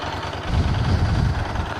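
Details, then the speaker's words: 1983 Honda GL650 Silverwing Interstate, 22,000 miles in 3 years, cold-blooded, warming up on the center stand after choking; even low idle swells briefly as rpm comes up slightly and settles, smooth with no knocks, nearly ready to ride. "you can tell when it's ready to go the rpms will come up just a little bit it's getting there"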